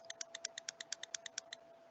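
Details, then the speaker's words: 5-pin ISO relay bench-tested with a bulb that comes on dim: about a dozen crisp, evenly spaced clicks, roughly eight a second; it clicks with either coil polarity. "i'm going to connect it to the other light came on dim and the relay clicks can you hear the clicking"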